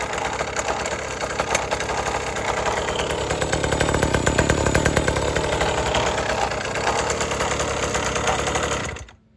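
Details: 1980s Cruise N Carry outboard after sitting about 20 years and then getting a carb clean and fresh gas. The two-stroke rattle swells smoothly as the throttle opens, holds steady, then stops cleanly at shutoff; it runs properly.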